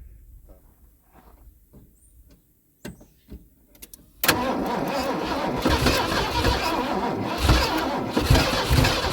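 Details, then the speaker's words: V8 Ford F-150 sat over 10 years in a field, new battery, slow cranking blamed on corrosion: a few faint clicks, then engine fires on starting spray in the intake and runs rough and uneven; hard starting, fuel system disconnected. "Okay so she turns um not very fast which I'm guessing is due to some of this corrosion"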